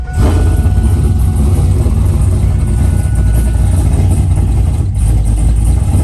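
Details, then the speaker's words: 2002 Pontiac WS6, 500hp, freshly tuned, cold start at 8 a.m. before warm-up; fires at once into a loud, deep, even rumble with steady low throb, no knocks or rattles; normal cold start and idle, dry belt squeak noted. "This is going to be a cold start, and it's about 8 o'clock in the morning, so I kind of feel bad for the neighbors, but the show must go on."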